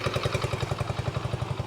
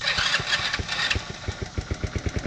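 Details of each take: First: Vintage Honda motorcycle from a 14-bike will-it-run batch, first start after confirming spark, key on and fuel: even, steady thumping at about ten beats a second, no misses or knocks, settled into a healthy idle; charging system works. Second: Vintage motorcycle from a trailer batch being revived, started with the choke on. Little single putters with an uneven beat, revs swelling and sagging without settling. It runs but roughly, and the cause is not pinned down.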